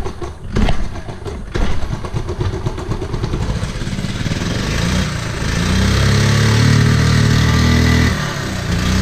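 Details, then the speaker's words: 1979 Honda Z50R with low compression, first kick after switching to on/off for spark: fires, stumbles, then settles to an uneven, lumpy idle; weak compression. "doesn't sound the greatest she moves"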